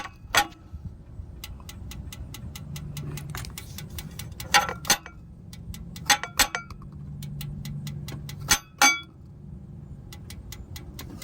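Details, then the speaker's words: Dodge Challenger SRT8 6.1 Hemi with a cylinder eight misfire: sharp, irregular metallic ticks about twice a second from the header area after hot shutdown, stopping when headers are tapped; owner suspects a lifter, cause unknown. "the ticking gets louder and it just keeps doing it right but watch what happens when I tap the headers while it's ticking it just stops so weird"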